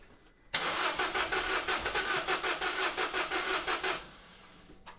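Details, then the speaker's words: Peugeot 207 CC, engine believed EP6DT from VIN, cold, crank test after refitting fuses: starter churns about three beats a second for three seconds, almost starts, sort of fires, then stops; never runs, crank no-start. "let's give it a quick spin over almost wants to start it sort of fires and then"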